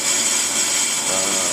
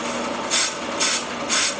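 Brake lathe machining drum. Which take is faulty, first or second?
second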